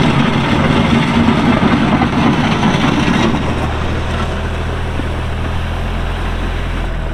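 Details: Kubota L3240 4WD tractor, pre-emissions 32 hp diesel, 94 hours, LA514 loader, gear drive. Even diesel clatter settles into a smooth, steady idle with no knocks or misses; normal running.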